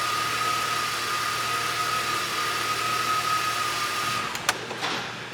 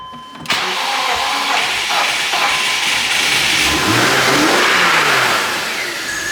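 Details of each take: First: 2006 BMW X5 manual, 270k miles, with a stuck idle air control valve; a bad mass airflow sensor is suspected. After a rough start it holds a steady idle without hunting, with a faint constant whistle. Idling properly now. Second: 270k-mile 2006 BMW X5 manual with a stuck idle air control valve (owner doubts it's the main problem); cranks and catches, revs sag and surge unevenly nearly stalling, then settles to a decent idle.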